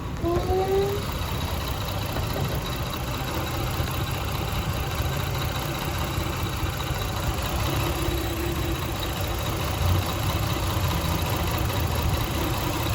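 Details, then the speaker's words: 1999 Lexus RX 300, about 310,000 miles, in park with AC off: uneven lumpy idle with steady low-end stumble, engine struggling; cylinder 6 misfire per AutoZone scan, owner blames ignition coil since plugs replaced 9,000 miles ago. "the engines park the ac is off is struggling"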